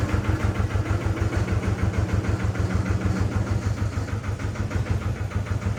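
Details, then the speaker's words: Amida Benford 32D articulating site dumper, two-cylinder hand-crank Lister diesel, Newage PRM 3-speed gearbox: same gear noise after topping up gearbox fluid; even diesel thump about three beats a second with rough gritty rasp; owner says noise comes from the rear, not engine or front; gear grinding suspected. "all right bad news it's making the same noise so there's two other things I'm going to check it's definitely not the front end because I is definitely not coming from the front it's coming from the back"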